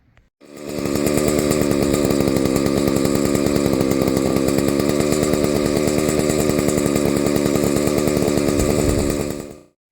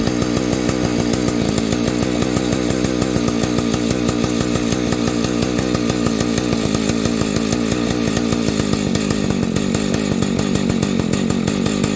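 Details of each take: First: Husqvarna 285 two-stroke chainsaw, previously starting then idling and stalling, after a seal replacement: fires and holds a steady, even high-pitched buzz with no misses or surging; running normally. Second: Husqvarna 285 chainsaw: starts easily, idles unevenly about fourteen seconds then stalls abruptly; repeats after a few minutes' wait; owner suspects ignition problem, considering a Husqvarna 480 ignition; stalls after idling.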